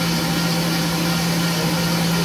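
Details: Ford 4.6/5.4/Coyote-type V8 started right after its oil system was primed with a pressurized canister, reaching 40 oil pressure. A steady low hum with an even tone and no knocks or ticks; normal idle.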